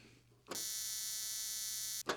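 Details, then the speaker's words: 1950s spark plug cleaner and tester being restored: thin, high sparking buzz heard but spark barely visible in the mirror, very weak; cause unknown, owner unsure whether the coil, capacitor or condenser pack is at fault. "And when I hit this button, you can hear it sparking, but you can't really see it. It's really weak."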